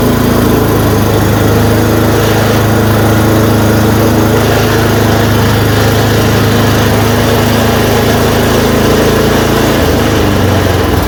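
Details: Yard Machine 826 snowblower, 8 hp 26 in, after new dual belt, first start once idle screw adjusted: single-cylinder engine runs steady and even, revs up, no misses or surging; healthy.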